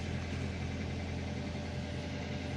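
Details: Toyota Avanza All New 2013 1300 cc idling after weak battery recharged 12 hours with a small motorcycle charger: quiet, smooth, even idle hum, low steady note, no roughness or tapping; engine running fine.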